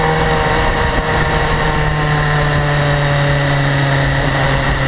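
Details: BMW S1000RR, 2012, about 4,500 km: steady idle hum with an even, continuous fast metallic ticking on top, absent at first and growing louder; owner suspects valve clearance or the interference-pipe exhaust flaps, source unconfirmed.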